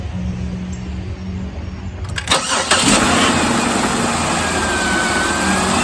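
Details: 2006 Buick Lucerne 3.8L GM 3800 after crankshaft position sensor replacement: quiet, then starter catches within about a second and settles into a smooth, even idle with no rubbing or misfire; healthy.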